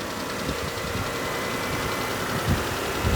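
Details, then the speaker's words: Auction car started on a weak NOCO jump pack after fixing a loose negative clamp, warming up at idle: steady low even idle with no knocks or misses; motor sounds good; normal idle. "motor sounds good okay just let her sit and pull a little bit of charge before I take the Box off of it"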